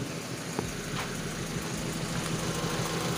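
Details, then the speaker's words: Honda Civic Wonder with swapped-in Toyota Kijang carburetor: even, steady idle with smooth regular putter, no misses or hunting; the previous carburetor couldn't hold idle and was thirsty. "Wah ini tuh enak dihargai suaranya coba status stasionernya kita naikan dikit lagi nah jadi langsung banget ya"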